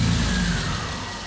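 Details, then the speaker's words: 1999 Porsche 911 C2 that sat two years in a parking garage, first crank with a new battery: the engine catches and settles to idle. Ticking sounds awful for about three seconds at cold start, then it sounds fine. "You hear that ticking though? It sounds awful for like 3 seconds and then starts to sound fantastic."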